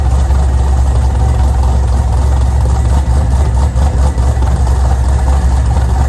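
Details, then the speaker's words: Pontiac G8 V8 idles before engine removal to replace a destroyed Circle D torque converter with worn lockup clutches. Deep, steady, even rumble with no knocks, misses or ticks. "Before we yank that motor out, we're gonna go ahead and start it up one last time just to see how beautiful she sounds."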